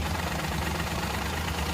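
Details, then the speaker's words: Petrol engine idling rough with a slightly uneven, lumpy beat; cylinder 2 misfire (P0302) traced by disconnecting injectors one at a time: the second injector isn't working, engine unchanged when it's unplugged; light tapping knock also noted. "ये जो इसका इंजेक्टर है ना second number वाला, ये इंजेक्टर इसका वर्क नहीं कर रहा है सही।"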